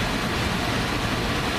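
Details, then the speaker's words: HVAC blower after converting an ECM variable-speed motor to a PSC motor, calling for cooling on zone two; a smooth, even rush of air with a steady motor hum and no rubbing or rattle, blower running normally. "our fan is [Music] operational we're calling for cooling on zone two looks like"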